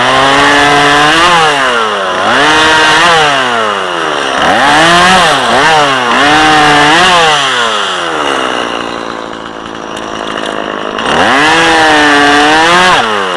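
Crisp two-stroke screams up under load, pulls down through each cut and recovers cleanly; a strong, healthy saw running right.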